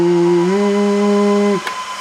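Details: BLF188XR LDMOS amplifier's Mean Well RSP power supply: loud steady hum whose droning tone steps up slightly then cuts off, at about 900 watts output. Its internal cooling fans run flat out and sound like a jet engine.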